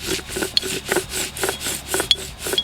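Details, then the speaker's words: 2010 Jeep Wrangler JK wheel hub, removed from the axle shaft and turned back and forth by hand: harsh, gritty rasping rising and falling about twice a second; the hub bearing is worn out. "that's a horrible grinding noise of this thing spinning back and forth it's definitely bad"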